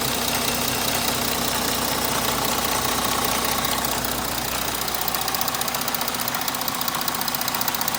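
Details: 3.0 TDI diesel before any repair, running steadily with a regular knock about two and a half times a second over the diesel clatter; abnormal engine knock, cause undetermined.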